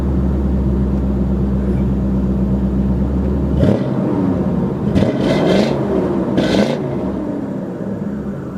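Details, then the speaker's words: 1995 Lincoln Town Car V8 with header cats retained, later cats hollowed, 2.5-inch tail pipes through Flowmasters: deep even burble at idle with clean rev sweeps; no ticks, leaks or rattles, normal healthy exhaust note. "Um through Flowmasters and it still has the first set of cats but the others have been hollowed out and so that combination of the cats on the header and then the Flowmasters gives you uh well, this sound."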